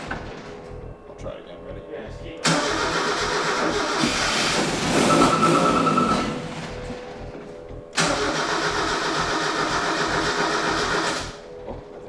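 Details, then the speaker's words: Mazda Miata NA 1.6 that sat over 7 years, newly fitted with ISR turbo kit and standalone ECU on base map: two long steady cranking bursts that never catch or fire; crank no-start. "according to everybody online the company that makes the ECU and the turbo kit if we installed everything correctly the car should just fire up up and at least idle with the base map that comes pre-installed on the ECU clearly though that's not the case"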